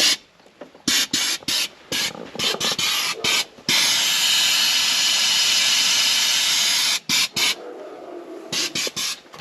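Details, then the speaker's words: Jeep Cherokee XJ 2.1 turbo-diesel: 10 bar of air blown through the blocked diesel feed line from the tank; short sharp hiss bursts, then a long steady rush as the clog lets go. Confirmed clogged fuel line. "Bon, donc c'est sûr et certain, on avait bien un bouchon dans l'arrivée de gasoil."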